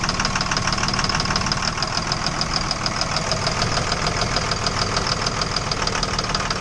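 Steady idle with a regular light knock about three times a second running through the whole clip, a knocking engine.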